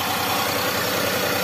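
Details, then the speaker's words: Daihatsu Xenia 1.0 three-cylinder VVT-i, warming up, AC off: steady, even idle at 900 rpm with smooth regular firing, no misses or hunting; normal idle, ignition timing 5 ± 2 degrees at this speed. "Yo ini 900 malah guys yo idlenya putaran putaran normal 900 RPM"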